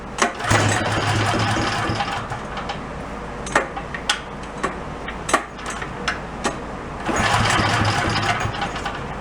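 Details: Craigslist generator, after a new carb, ignition, plug and low-oil shutoff failed to fix it cutting out after about 10 minutes: runs strong, then sags to a thin uneven beat with sharp pops before picking back up; surging, fuel problem suspected, not confirmed.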